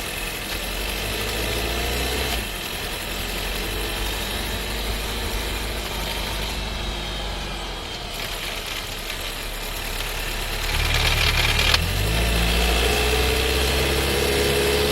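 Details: New 1.5 TSI Skoda Scala, DSG dry-clutch gearbox, about 3,500 km and six months old, idling with a fast, fairly even rattle (about three beats per second) heard inside the cabin, with shaking felt; transmission rattle suspected, not confirmed.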